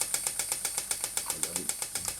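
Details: Stuart model "donkey" steam water pump (6 cm3, no crankshaft, slide valve, rated 40–400 strokes/min) running slowly on compressed air from a small compressor; crisp evenly spaced ticks about eight per second, no knocking or stumbling, normal running.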